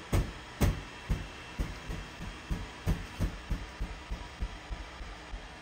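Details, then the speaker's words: Creality Halot Mage Pro resin printer with the vent turned off: irregular soft pops and snaps, roughly two a second, as each layer peels off the film; normal peel behaviour. "then the final piece comes loose and it just kind of pops and snaps off so crazy I didn't think resin printing would be this loud"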